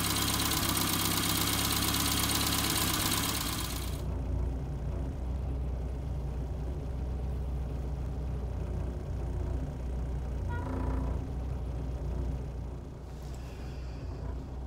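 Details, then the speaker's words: Austin Allegro idling after a roadside stall, now running again with the carburettor mixture adjusted rich; points, distributor cap and rotor arm are poor, giving barely a spark. Loud first few seconds, then a steady, fairly even idle with no stalling or misfire; normal idle. "but it it's running again lovely now no problems at all"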